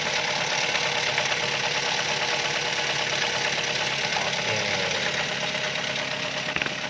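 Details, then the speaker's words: Toyota Avanza 3SZ petrol engine running: rough, hard knock about three times a second from a damaged connecting rod bearing, likely from oil sump or oil pump problems; needs a general overhaul. "Hai ini saya mau kok si kangenn macam mana bunyi in Jin yang terpaksa buat Jenderal owoh old Hai kulitnya bunyi"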